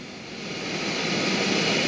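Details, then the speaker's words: 1971 JCPenney model 1758 solid-state stereo, stored decades in an attic: steady, even hiss swelling gently louder with no hum, pronounced in the right channel, virtually none on left, varying with volume; excessive hiss. "so i hear a lot of noise over on the right channel there's virtually none in the left channel there's a lot of hiss in the right channel it's really pronounced"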